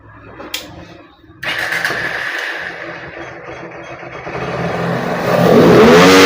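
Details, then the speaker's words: Honda X-Blade motorcycle with the local aftermarket air filter removed, revved at full throttle. It picks up cleanly to 11000 rpm with no stumble. Normal free revving. "பாருங்க வண்டி பக்காவா full throttle 11000 rpm வரைக்கும் போகுது"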